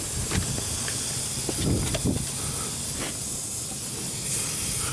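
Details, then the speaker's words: Dodge Caliber SRT-4 during boost leak testing after intake manifold gasket install, engine off: steady hiss with puffy surges from an open port on a hose running from a canister, assumed EVAP; boost leak found. "Oh, look at that, you guys. That is my boost leak. And this is that hose that runs from this canister back here, which I'm assuming is the EVAP."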